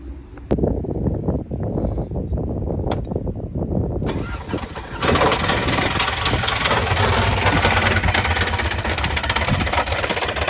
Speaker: So obviously that sounds pretty bad. To me, it sounds like it's coming from the clutch and belt area. So it's likely, since it doesn't drive, the belt is broken.